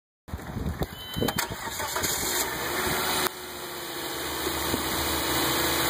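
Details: Volvo S60 cranks and settles to idle while a steady high-pitched buzz carries on over the engine.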